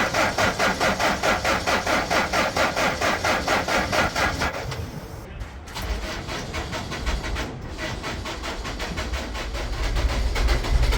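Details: Franna crane diesel engine with a starting and stopping problem, turbo-to-inlet crossover pipe removed and diesel fed straight into the intake: about four seconds of slow cranking, then it catches and runs unevenly, pointing to fuel starvation.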